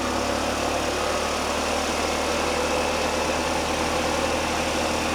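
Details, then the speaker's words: Old scooter brought back from dead, just started by spark after tapping the leaking carburetor needle and seat. It holds a steady, buzzy idle with an even beat and no stumbling. Lights work; the starter button still doesn't work, and an exhaust clamp is loose. "I still want to get this starter button to work for sure, but nice to see it running."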